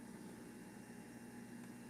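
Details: Repaired juicer running at 2.2 amps: quiet, even motor hum with faint steady tone, no rising high-pitch whine or roar on slowdown, so bearings sound healthy; normal running.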